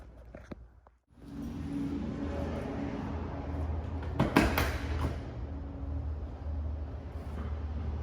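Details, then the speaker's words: Cold start of a Mopar A12 muscle car V8 with dented headers: loud, raw, rough idle with the harsh rasp from a hole in the header where it hits the valve cover; exhaust leak. "well there's a hole in this header and it literally bounces off the valve cover it is very obnoxiously loud"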